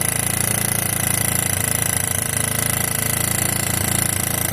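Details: 1986 Yamaha YFM Moto4 200 ATV single-cylinder, after carb work (carb swapped, mixture screw backed out about 1 1/8 turns), running with a steady, even putter and no rattle or knock; normal running.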